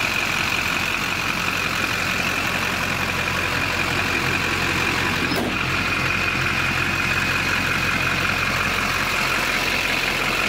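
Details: LB7 Duramax diesel started right after fitting an ACDelco TP3018 fuel filter and water separator, confirming fuel flows. Steady, even clatter at idle, about three beats a second, with no stumbles or misses: a normal, healthy idle.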